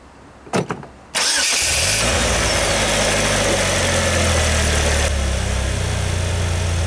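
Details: 2019 Polaris Slingshot after first break-in oil change at about 1000 km, refilled with 4 liters; old oil was dark with metallic sparkles: short crank, catches cleanly, settles to smooth even idle with no knocks or misses; normal start.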